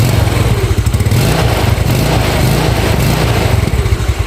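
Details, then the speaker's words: Carbureted Yamaha Nouvo after its worn carb vacuum diaphragm was swapped for a Xeon one: low single-cylinder putter with occasional pops when the throttle is released at low rpm. This is lean deceleration backfire, judged harmless and slightly economical by the mechanic. "Nah di sini kendalanya dia cuma nembak-nembak ya kalau kita ngelepas gas ya kalau kita lepas gas di RPM bawah ya yang kadang-kadang suka nembak tapi itu nggak papa ya"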